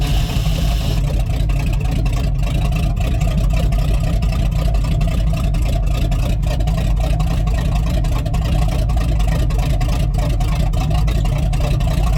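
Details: Rotted squarebody Chevy 454 big block running on jumper cables with the fuel pump on: a deep, even V8 rumble at a steady speed with no stumbles or misfires that the owner says sounds good, though it was then dripping hydraulic fluid.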